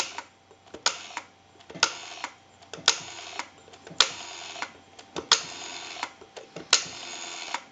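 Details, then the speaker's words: Stromberg Carlson Fatboy rotary phone in final checks after bell replacement and rewiring, dialing out into the analyzer, heard via a pickup: crisp bursts of clicks about a second apart with short decay, quiet background; dial pulsing normally. "we want to dial our numbers out if you watch the analyzer you'll watch the numbers Roll by"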